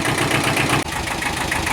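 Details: Kubota L Series (mid-1970s) two-cylinder diesel tractor, after repair of an internal oil leak causing low oil pressure: steady, even two-cylinder chug at slow idle with a brief dip, no knocks or misses; normal idle.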